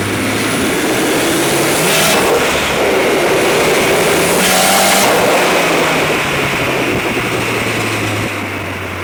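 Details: 740 turbo: engine revving up and falling back with a ragged, uneven beat and stumbling pulls under throttle; a weird misfire of unknown cause.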